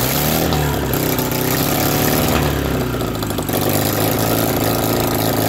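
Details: BMW R69S twin with Kayser power kit, first start after engine restoration: runs and blips revs but beat stumbles and wanders; uneven running, carburetors still need attention.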